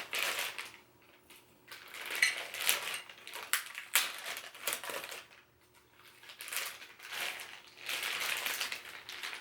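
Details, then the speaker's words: Monitor arm shaken during setup gives bursts of light metallic clatter and clicks; the rattling means a bolt on the up-and-down piece is loose, an easily fixed problem. "you can hear some rattling in there that means that some of the bulbs are loose but don't worry i will help you and this problem can be easily fixed"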